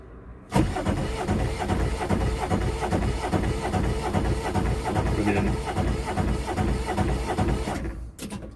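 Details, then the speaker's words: Aixam Mega Multitruck diesel van first start after glow plugs: starter catches at once and settles into an even clatter; clean, healthy first start. "so far so good starts the first time sounds nice impressed"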